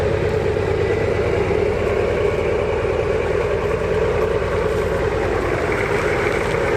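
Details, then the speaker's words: 1981 Buick Century, revived after sitting, driving on the road in second gear: even, steady diesel drone with no knocks, misses or rattles; runs well, though the kickdown seems not to work. "Welcome aboard. Yeah, it rides like a dream. It runs really, really good."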